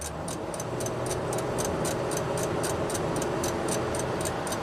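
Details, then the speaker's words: 2004 Toyota Avalon 1MZ-FE V6, flashing CEL and erratic temp gauge: crisp regular ticking about four per second from the dash, load dependent, also above 1200 rpm in park; cause not found. "so anything over 1200 RPM it starts clicking that blows my mind"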